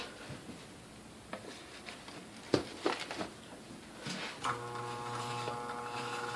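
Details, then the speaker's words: New-old-stock Sunbeam Mixmaster Model 11 switched on: a few clicks, then a steady low electrical hum as the motor never turns. It is stalled by old, hardened original grease from long storage; the cord also sounds crunchy. "we turn on it doesn't rotate it just homes which is a classic symptom of these things sitting for a long period of time with the original grease the oil in them"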